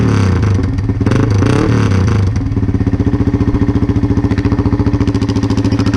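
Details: 1999 Yamaha XT225, about 20k miles, tailpipe cover off: loud blatty single-cylinder thump at fast idle, about three and a half beats a second; muffler and tailpipe rusted out, likely rust chunks rattling inside.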